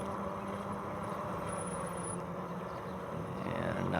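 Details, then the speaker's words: Electric bike rolling downhill while riding the brakes: thin brake squeak rising near end; light brake squeal, no cause given. "riding the brakes right now so you can probably hear the brakes squeaking a little bit there"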